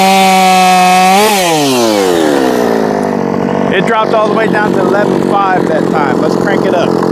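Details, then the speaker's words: Jonsered 2156 chainsaw (same as Husqvarna 357) at wide open throttle: screams on a steady high note, then revs sag from about 13,600 to 11,500 and won't climb despite more fuel; owner suspects a rev-limited coil. "didn't gain anything in RPM that time same thing getting down about 115 116 so we'll give it more"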